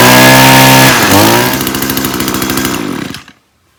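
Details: Echo gas string trimmer that had lost power at full throttle, run after its clogged spark arrestor was cleaned and the muffler reassembled: a steady two-stroke buzz that revs up cleanly with an even, crisp note, then shuts off; healthy and pulling properly.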